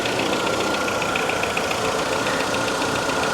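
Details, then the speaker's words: Small engine with distributor at auction, slight coolant leak near thermostat housing or hoses: steady, even idle with no knocks, ticks or squeals; sounds healthy, timing belt history unknown. "It sounds healthy."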